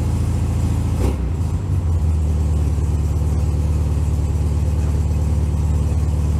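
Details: Cold start of one of the owner's air-cooled VW Beetles (1967 or 1964) on a snowy morning around 15°F: it cranks about a second, catches and settles into a steady, even low putter with no knocks; a normal cold start and warm-up.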